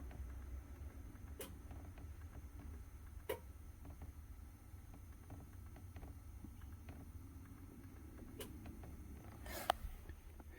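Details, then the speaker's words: Chevrolet truck EVAP vent solenoid commanded through scan-tool output controls, giving sharp irregular clicks over a quiet hum; repeated cycling may reveal a failing solenoid. Cause suspected, not confirmed. "functional tests output controls event solenoid all right so up there okay I just heard it clunk do you hear it you hear that"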